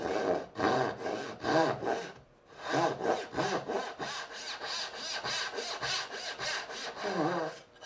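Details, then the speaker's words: Hand saw cutting dovetails with the board clamped too high in the vise: rasping strokes with a rough, buzzy chatter on each pass. Lowering the board removes the chatter and the saw cuts more easily. "This is a little too high. And it's just chattering a little bit."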